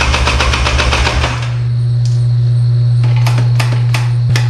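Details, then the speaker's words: 1997 Polaris Scrambler, bought cheap, initially had no spark and a carb with water in it: fires and chugs roughly, then dies back to a hum. It won't keep running, apparently not getting fuel; the carb was then cleaned. "here it's definitely trying to start it's not getting gas it sounds like a giant turd"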